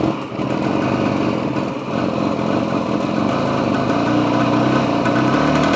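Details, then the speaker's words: 1976 Honda MT125 two-stroke, first start after purging air from the oil injection line and double-feeding oil: an uneven, burbling idle stuttering about four beats a second. Good compression, but too much oil. "All right, let's fire it up. Whew. Hello, compression. Too much oil."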